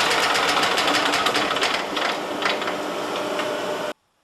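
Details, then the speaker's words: Yamaha G2 golf cart after carburetor, air filter and spark plug tune-up; fast busy starter cranking rattle, turning steadily but not firing while the piston-driven pump draws fuel. "Now we have to pump the fuel through the system on our fuel pump here. It runs off the piston. It's going to take a little bit for it to pump."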